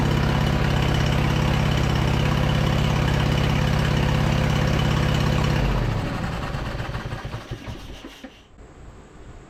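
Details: V-twin engine on a Craftsman LT2000 lawn tractor, sat about a year, gravity-fed fuel, choke about halfway, low throttle just above idle: steady even thump with no misses or knocks, then clean shutdown; running fine, carb clean still planned.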